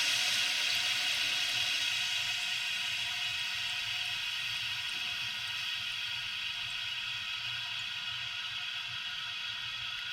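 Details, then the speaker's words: Toilet fill valve after float adjustment so water stops about 1.5 inches below overflow top: steady refill hiss fades as level rises and water shuts off completely; normal tank refill and shutoff. "If it comes up there, you can hear that the water shut off completely."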